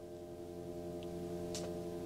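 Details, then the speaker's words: Tesla Model 3 DC charging, 14 kW delivered but only 7 kW received, cabin heater off, gives a soft steady low hum as the drive motor heats the battery for faster charging; normal. "this humming sound. So the car has been programmed to heat up the battery, because once the battery hits 100%, 22%, once the battery goes high enough, let's say around 80 kilowatt or 70 kilowatt, it wants to be warmer so it can take faster charging."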